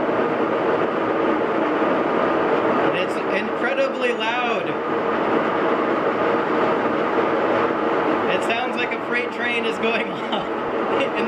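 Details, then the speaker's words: GE washing machine about two years old, empty, on spin: loud steady rushing roar with rough bursts like a freight train, even during the balance spin before full speed; a failed drum bearing is suspected but not yet located. "so that's it just doing its balance spin hasn't even spun up yet it already sounds like a freight train"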